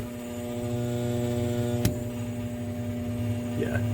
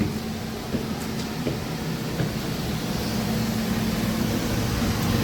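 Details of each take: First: Home air conditioner indoor blower motor, switched on after sitting unused one to two weeks: a steady electrical hum with no spin-up or airflow, the motor not turning at all even after a whack; seized blower motor. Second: Home air conditioner indoor unit after replacing the failed blower motor and wiring a non-polarized capacitor, first power-on: steady even whoosh of air with smooth motor hum, no rubbing or squeal; new blower healthy, spinning correct direction.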